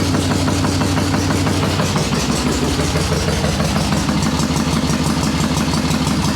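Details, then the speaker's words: Cold Harley Ironhead Sportster chopper, choke on, fresh dry plugs fitted, carb unchanged: fires in two kicks, lumpy uneven fast idle, loaded and slightly stumbling, rich on choke; owner suspects priming kicks flooded previous plugs. "trying not to get this thing too warm right now cuz that's running on choke but all I changed I didn't do anything on the carb"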